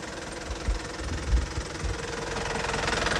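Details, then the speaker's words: Used Isuzu ELF microbus diesel at idle during pre-purchase check: steady, even clatter, smooth rhythm, not limping or rough, no odd noises, indicating an engine in good condition. "irama mesinnya itu kalau mesin bagus sudah sudah terlihat ya ya iramanya lebih halus kayak gitu tidak terdengar pincang ataupun kasar-kasar"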